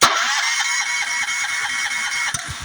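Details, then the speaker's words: Honda GX390 engine on key start cranks steadily, with even pulses about five per second, but never fires. A spark tester showed no spark at the plug. The owner says the cause is usually the low-oil sensor on the side of the block, with a yellow wire. "I'm turning the key it's cranking it's cranking I checked the spark and there's no spark"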